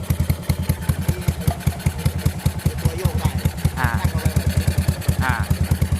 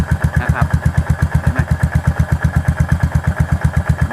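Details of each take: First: Yamaha SR400 single-cylinder motorcycle idling, owner complains engine is loud: thumping beat with dry metallic clatter from the valve rocker arms, valve found with side-to-side play — rocker arm clatter. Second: Yamaha SR400 single-cylinder at idle after repairing noisy valve rocker arms: even, regular thump with no top-end tapping, idle very steady and much quieter than on arrival.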